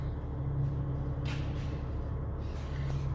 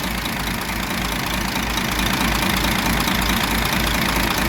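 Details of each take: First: DAF 105 truck diesel with 600,000 km idles with a dull drumming knock and breathy puffing back through the air intake. With the valve cover off, a bent rocker/valve guide was found. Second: DAF 105 truck diesel with 600,000 km, idling after rocker shaft and valve cover work for a knock heard through the air intake; steady, even pulse about 3.5 beats per second, no obvious knock, sounds healthy.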